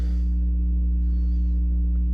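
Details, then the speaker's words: Ground-loop mains hum, a constant low hum with a higher buzz and nothing playing, from a Rockville RPA9 800 W two-channel amp on one unbridged channel with one cable, bypassing the SVS sub. Hum seems to arise between the main amp and this amp; owner suspects it needs the same circuit. "just with the one cable going right to it so the hum must be coming between the main amp and this amp um not really sure why maybe it needs to be on the same circuit as that amplifier"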